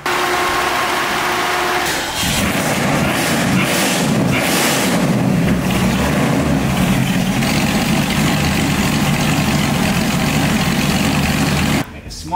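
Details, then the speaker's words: Supercharged aluminum-headed 289 V8 in a 1965 Mustang: low, lumpy idle close to stalling, idle speed too low with timing too advanced at 30 degrees total; timing then backed to 12 initial, 28 total. "That sounds bad. I tweaked the timing a little bit. I backed it down to 12 initial. So, 28 total because 30 was a lot."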